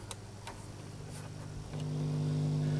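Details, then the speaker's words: Philips 4302 reel-to-reel tape recorder, just powered on from mains with volume turned down, play not working; a few light ticks, then a low steady mains hum, suggesting the amplifier probably works. "hopefully the hum here indicates that the amplifier is probably working."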